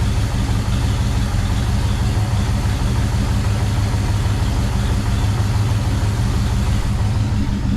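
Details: 1974 International pickup that sat for years, first start after cleaning the points and getting spark: a deep even V8 rumble at idle with no knocks, misses or stumbles; normal idle.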